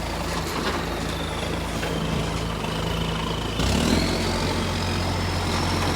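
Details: Shire of Serpentine-Jarrahdale garbage truck SL001401 out collecting, 16 Dec 2024: diesel idling with a ragged chuffing tick over the engine rumble; exhaust leak.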